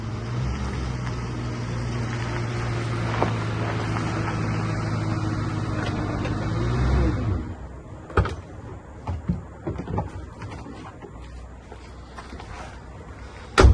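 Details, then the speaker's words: Junkyard police car with 45,000 miles after fixing a wrong spark plug problem; cranks with no check engine lights and good oil pressure; smooth steady low engine drone with no knocks or rattles, then shut off with light clicks; runs normally. "It cranked up, no check engine lights. Sounds like it's running smooth."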